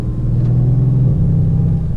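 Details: 2017 Mercedes-AMG C63 S on the drive to the dealership: a steady low drone that rises slightly in pitch partway through.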